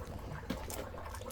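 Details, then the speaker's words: Property water supply leak detection with tracer gas, at supply pipe to unused garages: low uneven gurgling and rushing of water with louder surge; big leak at pipe fitting, likely worsened by gas test disturbing the fitting. "and I'm sure you can hear that and now you can see that quite a big leak I think I've made it worse by using the gases Disturbed the fit in a bit more"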